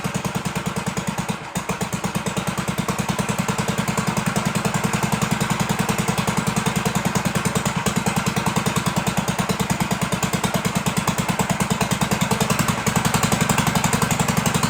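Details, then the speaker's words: 1958 Gravely Model L single-cylinder engine, after throttle hooked up, muffler has a big hole: steady, even quick putt with no misses or knocks; runs healthy. "So yeah, there you have it. Runs pretty good, right?"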